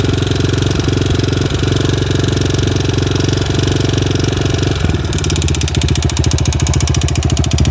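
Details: Yamaha TTR 250 single at idle: steady idle with a sharp, regular engine knock on every firing, roughly three per second, clear over the exhaust beat.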